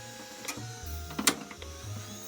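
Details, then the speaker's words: Old ATX desktop PC running hot, after a graphics card swap: irregular clicks and short whirring clunks come and go. Owner suspects the hard drive just died (unconfirmed) and also thinks it needs a new power supply. "So, I'm guessing the hard drive just decided to die. Like just now."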